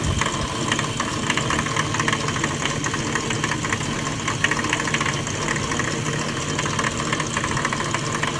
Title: E36 M3 clanking/ knocking noise. Please help!!